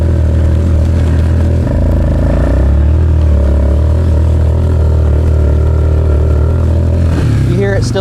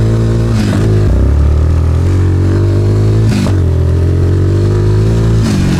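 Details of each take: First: Suzuki Ozark LTF-250 ATV, warmed up, riding in cold air with wind noise: single-cylinder drone wavers and can't climb at wide-open throttle under load, engine bogging; owner suspects dirty carburetor and air filter. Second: Suzuki Ozark LTF-250 250cc ATV, previously bogging under load, after spark arrestor, plug, oil change, fuel tank and pickup clean, carb reinstall and tuning, cold day: strong, clean single-cylinder pull climbing smoothly through the revs with no stumble; normal acceleration.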